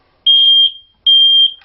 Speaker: could go off and off and off and never stop and the reason for that is too number one it is doing its job somebody's smoking right underneath it or in the once in a million chance you might actually have a fire